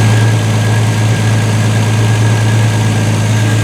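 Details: 1976 Triumph TR6 before restoration, with a fuel leak at the bottom O-rings so only run briefly: low, smooth, even idle hum with no misses or knocks; runs well and quietly.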